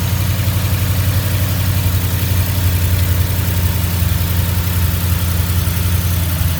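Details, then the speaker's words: Ford Mustang GT V8 after bearing replacement to cure knocking, pan and pickup cleaned: deep steady idle with even rumble, no knock or tick; motor sounds good, run cut short by radiator water leak. "So, this will be the end of the video. The motor sounds good."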